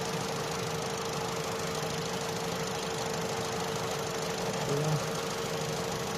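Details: Opel/Vauxhall Astra J 1.4 after new spark plug and ignition coil for a cylinder 1 misfire: idles at a steady, unchanging hum with no stumbles, skips or uneven beats; misfire counts zero on all cylinders.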